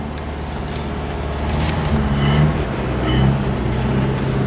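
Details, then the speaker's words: Truck running on homemade wood gasifier, driving in second gear then reversing: fast, steady idle far above normal, even with no knock; slight lag, some smoky-looking exhaust, possibly dust. "Oh, listen, the idle, very high. Idle's extremely high. You can hear it, that's much higher than normal."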